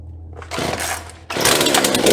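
Brief sputter, then it catches and holds a loud, buzzy, high-revving run on choke; the saw fires and keeps running.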